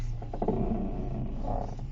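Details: Audi 80, creaking mainly when the steering wheel is turned left: groaning, creaky moan in bursts; driver-side spring suspected.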